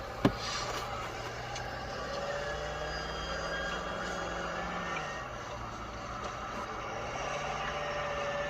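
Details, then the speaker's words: 2011-2023 Ford Super Duty diesel, one month after cold-side and hot-side turbo pipe install: thin whine/whistle rising and falling with throttle from front driver's side center, over low diesel rumble; loose hot-side pipe clamp at turbo, fixed by tightening. "You know, it kind of came from that area right in front of the driver's side, kind of center, make this little whine whistle sound."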